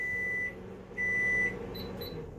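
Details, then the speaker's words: New Pampered Chef air fryer being set to air fry on first use: two steady high beeps confirming selections on the control wheel panel, in a quiet room; normal. "press the wheel and you will hear one beep okay the time will blink and the temperature will be solidly lit"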